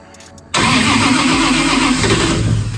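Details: 1000hp 2JZ-powered Skyline wagon, first start attempt after build: starter kicks in and spins engine steadily for a couple of seconds but it never fires; cranks without starting, possibly a kill switch issue, unconfirmed.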